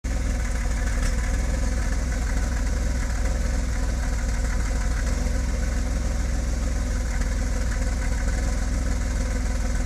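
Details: BMW E34 525i, M50B25 petrol six without VANOS, rough idle: deep, slightly uneven rumble. ICV cleaned, MAF ok, new spark plugs; owner suspects timing, ignition coils/wires or O2 sensor, cause unknown.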